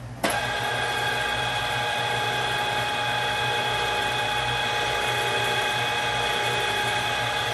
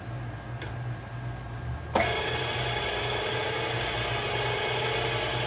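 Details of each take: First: Bolton Tools ZX32GP bench top mill after quill bearing and seal replacement, run at high speed about 15–20 seconds each direction: steady gear whine with faint rhythmic rise and fall, cyclical noise from the gearhead cluster shaft. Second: Bolton Tools ZX32GP bench top mill gearhead first run after bearing and seal replacement, quill removed: motor kicks on and settles into a smooth, steady whir with a clean, even gear tone; normal gearhead running.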